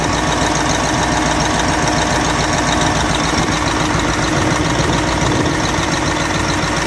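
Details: Caterpillar 988F2 loader diesel before repair, hard starting and black smoke: loose roughly regular knock three to four beats a second over heavy idle; cylinder 5 injector lifted by broken hold-down bolt, damaged seals leaking fuel; injector leak knock.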